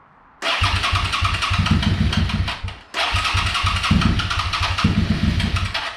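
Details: Suzuki SV650 (2003–2009) twin after rebuilding/replacing the OEM fuel pump, which previously faltered under throttle when fully warm; starter catches quickly, settles to steady even idle with no whine or misfire; healthy.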